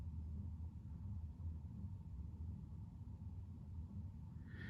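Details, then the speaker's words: Chinese diesel heater in a camper van, fitted with a whisper-quiet aftermarket fuel pump and heard from the bed with the pump in a closed cupboard next to the heater: low, steady rumble on the lowest setting, fan barely moving, with no pump ticking. "i've got it set at its lowest setting so the fan's barely moving can you hear the tick tick ticking no"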